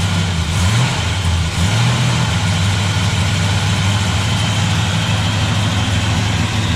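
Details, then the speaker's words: Restored 1965 Chevrolet Biscayne, 396 big block, 4-speed manual, cold-blooded but briefly warmed up: big V8 settles into a steady, deep, even idle right after starting, no misses or knocks; normal cold idle. "It is a little cold-blooded. I had already pulled it out and warmed it up a little."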